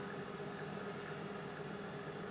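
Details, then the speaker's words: Cifer 2486 intelligent terminal, last used 1982, at first power-up from the rear switch with the 8-inch disk drive unpowered. Quiet even hum and airflow hiss with a faint steady tone, no rattle; small cooling fans running smoothly. "The switch on the back, as you can hear the fans run up. This drive's not powered, so ignore that."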